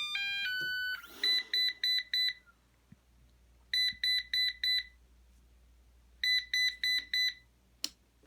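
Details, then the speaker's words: Eufy RoboVac 11 robot vacuum showing a solid red light and repeating four quick high beeps, its stuck-brush fault code. Possible causes are the main brush or a faulty corner brush motor. Brush stuck error. "it's has a common fault where it's a brush stuck which is you get a solid red light and four beeps is demonstrated here"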